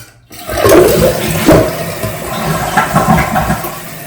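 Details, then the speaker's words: Toilet after replacing the whole fill valve (new washer alone didn't fix the noise), water turned back on: clean rushing flush then steady quiet refill, no hiss, squeal or hammering; fill valve working properly. "And now I'm going to turn the water back on. And that's it. Okay, it's all done. It's filled up."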